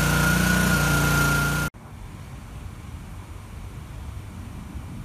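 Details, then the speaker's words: Petrol pressure washer just after a nozzle o-ring repair: engine starts and runs steady, then dies within a split second when the trigger is pulled; seized pump stalling it, pump later replaced. "went to start it up it started up fine as soon as i hit the trigger to start pressure washing the motor instantly died turns out something locked up in the pump"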